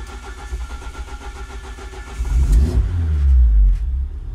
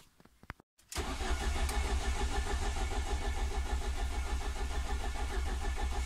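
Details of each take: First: Ford Focus ST170 with GSXR 750 throttle bodies, ME221 ECU (TPS-only), hot at 88 degrees: about 2.5 s steady cranking with 40-50% throttle, then catches cleanly and revs smoothly; normal hot start. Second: Ford ST170 with GSXR 750 individual throttle bodies and ME221 ECU, cooled fully for a cold start after cranking dwell map changes: brief crank catches into lumpy, spluttering uneven idle; owner suspects one cylinder flooded; rough cold start.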